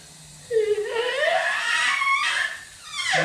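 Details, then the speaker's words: 1986 Ford F-150, 4.9L inline six with nasty exhaust leak and running poorly, leak-down test listening at exhaust port: thin airy hiss with wavering whistle rising in pitch, exhaust valves not sealing, intake port fine. "she's losing some air out of there. Intake port fine. Exhaust not so fine."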